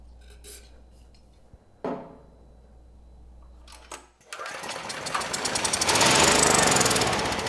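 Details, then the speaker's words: Generac GP6500E generator whose engine had seemed seized, first run after freeing it, before recheck of low compression: a few quiet clicks, then catches and settles into fast, steady, even chatter and makes power; normal running. "I was ready to tear into this engine, and not only is it running, but it sounds good and we're making power."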